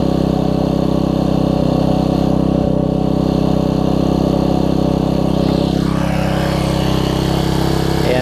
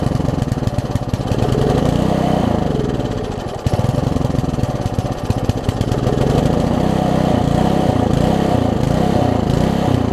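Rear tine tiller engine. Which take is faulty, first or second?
second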